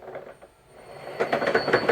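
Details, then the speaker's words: Toyota Prius transaxle motor on OpenInverter FOC firmware with sync offset set to 2000: quiet, then sudden rising clatter and thin high whine as the motor runs away uncontrolled; misconfigured motor control. "Oh no, we're out of control again. Damn it. God damn."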